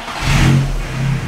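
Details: Mk1 VW Caddy with 20V turbo conversion after rewiring, engine catches at once and blips up smoothly with a deep even note, starting and revving cleanly.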